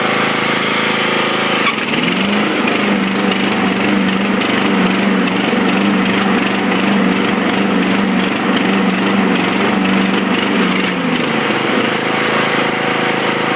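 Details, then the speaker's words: Craftsman 42-inch riding mower that needed a jump start: the engine drones steadily until the blade is engaged, then turns uneven and stumbling as if missing a cylinder. Cause suspected, not confirmed. "but now it almost seems like it's missing cylinders or something so this is what it sounds like"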